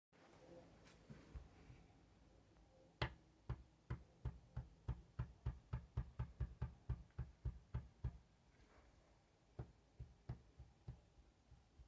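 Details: Honda CBR 954 engine heard up close: sharp, hollow knocks about three per second over low engine hum; suspected piston slap, unconfirmed.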